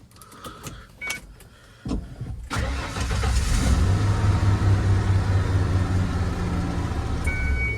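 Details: 1994 Ford F250, after cycling the clutch: short crank catches quickly into a steady, even idle with no grinding or hesitation; starting normally.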